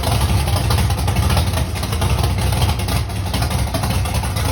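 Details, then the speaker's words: Big-block Mustang first start months after a fire, oil pump prime screw broken off: loud lumpy rumble with uneven stumbling idle, sounds like not firing on all cylinders; misfire suspected, cause not confirmed. "kind of sounded like it wasn't hitting on all cylinders. Say maybe when you fire it up this time, bring up the idle a little bit."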